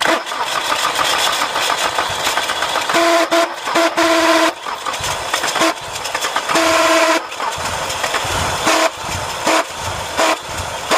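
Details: Nissan B14 failing to start: harsh, loud buzzing with horn-like tones, ending abruptly.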